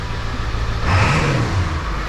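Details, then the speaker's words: 2002 Ford 7.3 Powerstroke diesel, first start after engine install, idling around 800 rpm with little smoke; engine note climbs quickly and falls back smoothly on a light throttle blip, no stumble or knock; normal throttle response. "oh she's responsive now I barely even touched the pedal"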